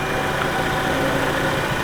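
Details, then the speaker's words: Chevrolet Cruze 1.4 turbo after a head gasket replacement, run for 20–30 minutes: a smooth, quiet idle; the startup lifter ticking from unsoaked lifters is gone. "it's R nice and smooth and quiet"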